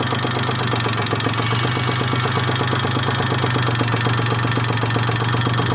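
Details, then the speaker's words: Daewoo Matiz 0.8 engine at idle, distributor set to the timing mark: steady idle with a sharp regular tapping of about eight to ten knocks a second that never fades; knock source unknown to the owner. "Стук. Мне непонятно, откуда стук. Прислушайтесь. Он вообще никогда не пропадает."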